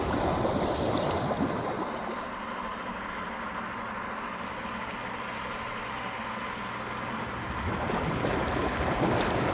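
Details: Spa blower that would not run when the pool was opened, now working after an air switch repair: a steady, low drone with water bubbling and gurgling throughout; the blower runs normally and pushes air.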